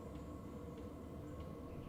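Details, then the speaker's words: 12V 5kW eBay Chinese diesel air heater, externally mounted on a van and tapped into the fuel tank, running at its low setting, heard from outside: quiet steady hum with soft fan rush, no knocks or surging; clearly audible outside, normal. "The heater is now running at its low temp. You can hear what it sounds like from outside."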